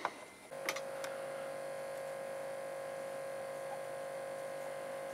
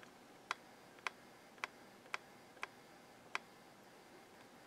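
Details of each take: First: Realistic LAB-2200 linear-tracking turntable (Radio Shack, 1987) small 12V DC motor, date code July 1986, being serviced: after a click it spins up to a quiet, steady even hum with no scraping or rattle; sounds healthy, shaft oiled anyway. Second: Realistic LAB-2200 linear-tracking turntable (1987) tonearm sled mechanism run on 6 V bench supply: sharp dry clicks about twice a second and thumpy noise, briefly smooth; owner suspects old grease or dirt lodged in the gears, needing disassembly and regreasing.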